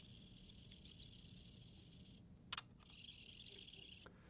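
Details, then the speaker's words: Potensic Atom SE drone (sub-250 g, no gimbal, electronic stabilization) moving its wheel-driven camera tilt from the remote: a faint thin squeak and rubbing over a quiet background. The tilt mechanism squeaks when it moves. "this camera does have a tilt with a wheel and listen to it it's a very squeaky tilt"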